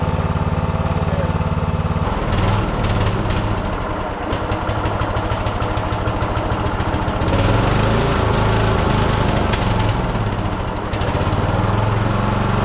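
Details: Riding mower single-cylinder engine after welding a broken starter part: chugs at a steady idle with slight unevenness then settles, runs fine; small valve cover oil leak causes brief smoke when hot.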